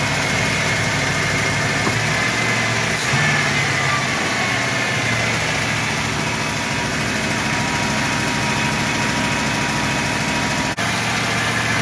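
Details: V8 running after Quadrajet carburetor rebuild, restarted with fuel poured in the carb and battery charging; holds a fast even speed with no drop toward normal idle, idling too high.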